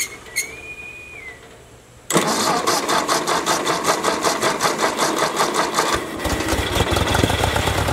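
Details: Ford Jubilee tractor idling right after a carburetor swap, fuel turned back on: quiet for two seconds, then it catches and settles into an even, steady putter of about 160 beats a minute. Smooth, healthy idle; it had been stalling under load before.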